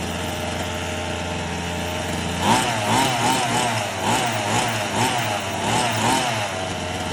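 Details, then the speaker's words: Redcat Rampage XR two-stroke gas rally car, second break-in heat cycle: steady idle buzz, then light throttle blips that rise and fall cleanly. Runs smooth and healthy. "I gave it a little bit of throttle. You know, I just rev it up a little bit. Brum, brum, brum. And man, I gotta admit, it sounds cool."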